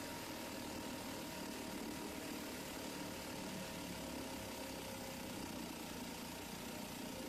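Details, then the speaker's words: 1971 Sears ESKA 5hp two-stroke outboard after fuel tank cleaning and idle and jet tuning: light, even buzz at steady speed with no misses or surging; motor now running smoothly and responding to adjustments. "that's great looks like oh it's working oh no I mean Seoul Motor started working just fine now I play with the idol and the jet school a little bit and everything seems to be responding"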